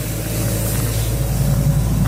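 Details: Ingersoll Rand 185 CFM air compressor with a John Deere diesel engine, warmed up and running a sprinkler blowout at about 50 psi: a deep, steady low drone with an even rhythm and no knocks or rattles; normal running, "purring like a kitten."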